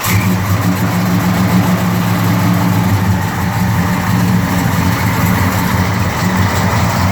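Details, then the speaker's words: 1969 Dodge Charger R/T with a Hemi transplant and 6-speed, stone cold (engine 75-76°F, ambient 74°F): a cold start settling into a deep, even V8 rumble at a slightly raised idle, no misses or knocks, a normal cold start. "client wants to hear this car from a cold start perspective and that's what we're going to give him"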